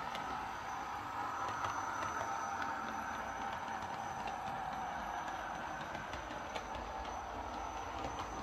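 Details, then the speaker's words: Lima Eurosprinter model locomotive after repair for screeching, running on the layout: steady, even growly hum with light regular wheel clicks, no catches or surges; running really well now. "Well, there we are. That's this Lima Eurosprinter running really well now. Very well, actually."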